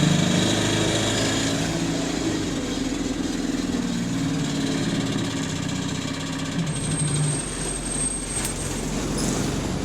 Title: Ticking Noise Changing Frequency With Engine Speed | GAL SE88 On Bus Route 386 Part 1 (19)